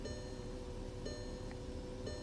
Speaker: the steering steering feels fine it's idling rough right